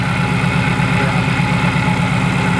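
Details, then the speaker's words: Flood-damaged supercharged Saleen #26 with 22,000 miles, idling on a hot day with exhaust smoke: busy, clattery idle with a fast metallic rattle over a low engine note. Supercharger suspected, unconfirmed. Rattle at idle. "what is that noise is that the supercharger cuz that sounds like the supercharger that doesn't sound normal to me that just rattling"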